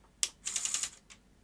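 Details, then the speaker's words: Sony SL-HF600 Superbeta VCR with 711B2 deck, regulator recently replaced (possibly counterfeit STK5441): at switch-on from 110 V the display lights correctly, but the pinch-roller/drive solenoid gives a sharp click, chattering clatter and final tick; the clunk sounds wrong, possibly overdriving the unlace. "doesn't sound right at all power up and down so it's all powering up the just when I switch it on all the right display lights are coming on the front but that clunk doesn't sound right at all"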